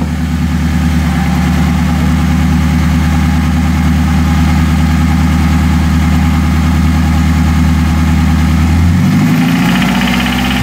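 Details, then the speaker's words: Nissan 240SX engine: steady idle with a deep rhythmic bottom-end knock that grows under throttle, loud underneath; rod knock suspected (possible bearing material seen), alternatively timing chain slap, unconfirmed. "i don't know i still say it's a rod baron it's pretty loud down there"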